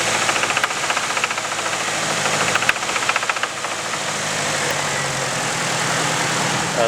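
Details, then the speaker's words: Nissan KA24DE four-cylinder idling with deep regular knock, three or four a second: rod knock from oil starvation after unnoticed high-pressure oil leak during summer autocross; later rebuilt. "Not that it matters though, because my engine is knocking."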